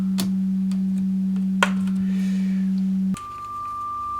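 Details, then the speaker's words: Marshall JCM800 Lead amp on drive channel, test tone at very low level: steady tone cuts out abruptly leaving faint hum and a thin whistle; intermittent signal loss, not the pots, a valve suspected. "I think we're on the drive channel and it's very low level. But it came back for us when we had the chassis in the case, so it might just be something, you know, totally intermittent."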